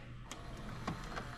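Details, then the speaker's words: Cheap late-model DVD/VCR combo from Goodwill, after the fix: light clicks and a soft, even whirr as the tape threads around the head drum and plays. Normal load and play. "It's going around the heads. It's playing."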